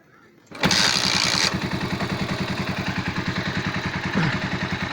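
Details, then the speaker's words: Motorcycle engine after repairing a loud knocking noise: catches and settles into an even, steady idle with no top-end knocking or clatter; engine sound back to normal, though the carburetor is still somewhat poor. "وده كده صوت الموتور زي ما حضراتكم كده شايفين بالظبط، صوته رجع طبيعي تاني تمام، ولكن الكربيراتور تعبانة شوية،"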